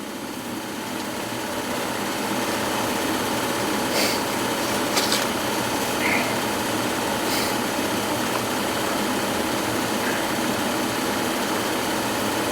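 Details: Gas furnace that was not heating, running with no filter and dog hair inside; after a weak start capacitor was replaced, the blower motor gives a steady, even hum with a light whirr and no grinding or rattle. Normal blower motor run.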